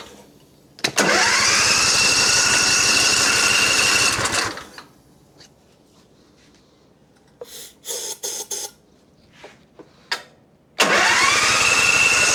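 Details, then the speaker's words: John Deere Z355E zero-turn mower, non-runner with a linkage spring missing: runs loud and fast for about three seconds on starting fluid, then cuts out. Starts on starting fluid then dies. "I I mean it might be it might just need to run on some starting fluid a little bit and then it'll work."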